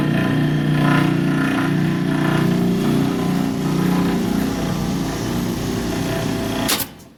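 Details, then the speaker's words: Bryant/Carrier package AC unit, recorded close to the blower motor: loud, coarse, rough droning hum that sounds like a lawnmower, then shutoff; frame and mount not loose, worn blower motor approved for replacement with its pulley and belt. "There's a definite noise coming out of that motor. The frame's not loose."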